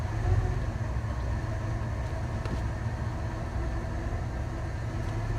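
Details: 1964 Chevrolet Impala SS convertible, 327 V8 250 hp, cold idle with choke not yet in; low, even rumble with steady beat, no ticks or stumbles, normal cold idle before the choke steps the speed up.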